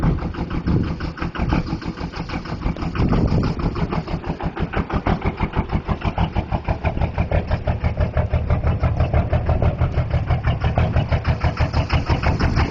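Rough, lumpy diesel idle with an uneven pulsing knock about three per second, one cylinder dropping out; a bad injector misfiring.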